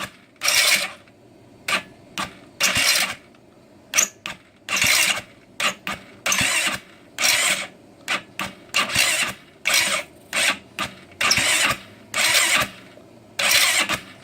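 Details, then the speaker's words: GY6 scooter after timing chain (46 link) adjustment and valve work, sprayed with starter fluid, battery getting low: repeated second-long bursts of fast starter whirring, engine spins with spark but never fires; cranks, no start, cause unknown. "Let's see if we can crank it over. Nope, same thing."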